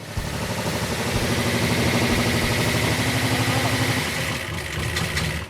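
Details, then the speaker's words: V8 with aftermarket parts, test coil fitted: uneven chugging about three beats a second with irregular pops and stumbles; they suspect too-short or too-long aftermarket pushrods holding a valve open, or the coil; rough running with popping. "they're hanging open a valve is that what's popping is it the coil that's popping on it"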